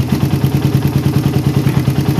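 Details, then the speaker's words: Motorcycle carburetor fitted with a filter and Sakti head nozzle, air screw set for the most stable idle. An even, steady idle thumping at roughly nine beats a second, no stumbles or misses. Normal idle. "udah dapat guys kedengaran saat bukaan gas awalnya masih agak engak enak ya Nah ini settingan saat idle"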